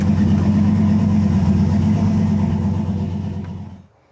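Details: Freshly rebuilt 5.3 LS V8 in a Nissan 240SX S14, first run in a cold shop, no coolant yet so kept short: deep even idle in gear, no knocks or ticks, then clean shutdown; healthy.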